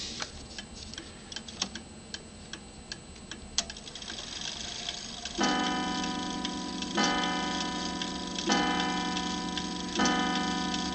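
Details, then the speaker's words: Normal hour strike on a 1907 Gilbert tambour clock after the half-hour ring: steady ticking, then four clean, evenly ringing bell strikes about 1.5 seconds apart; striking works properly. "It rings the half hour and then comes the main hour."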